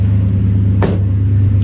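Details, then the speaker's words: Chevy Suburban 454 V8 after the fuel pressure fix, off jack stands with good fuel pressure. Deep, steady burble with an even beat and no stumble at idle; the engine runs smoothly. "we got it off of the Jack St and it's idling pretty good"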